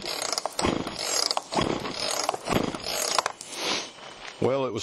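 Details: Chainsaw after Texas ice storm, choke on, carb screws untouched: repeated recoil pulls, ratchety whirring, no firing; spark later found present, compression to be checked. Cranks but won't start.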